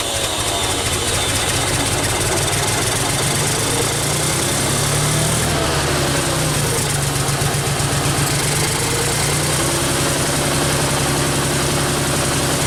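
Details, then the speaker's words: Old Ford 2000 three-cylinder gas tractor that sat for years, with a rebuilt carburetor, new points and new ignition, after its first start. It settles into a steady, even idle with a constant low putter and no misses or knocks. "just want to hear it run so it's starting around"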